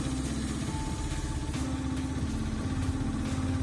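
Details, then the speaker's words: Honda Dio AF62 scooter after valve clearance adjustment (was not pulling and backfiring in exhaust), started fully cold: starts very quickly, single-cylinder putters at steady even idle, no popping or misfire. "так заводит отличные mapi это очень быстро заводится мне нравится"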